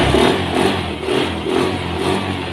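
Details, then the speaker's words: Honda Beat scooter (non-ESP) after fixing damaged wiring causing battery voltage drop, charging now reaches 13 V when revved: revs up and down smoothly, pitch rising and falling cleanly, nothing rattling; sounds healthy. "Tuh di 13 volt. Nah ngisi berarti supply ya. Nah digas, gas pun wis enak suaranya."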